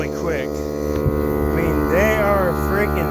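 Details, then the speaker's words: Cordless tire inflator with a smaller battery, airing up a not-so-flat front tire on a Suburban: steady buzzing motor hum with an even pulsing pump beat, no strain; running a little lower but normally. "mine's a little lower since I got a smaller battery but it's still working just as good"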